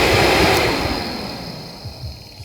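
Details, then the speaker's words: Yamaha FZS600 Fazer radiator cooling fan on direct power, checked after overheating past 100 °C: a smooth airy whir spins down evenly with no scraping or ticking. The fan is fine. "देखा तो fan इसका ठीक है बिल्कुल।"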